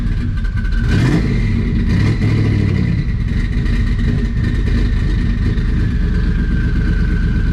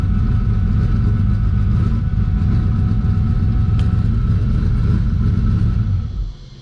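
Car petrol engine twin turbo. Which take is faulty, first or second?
second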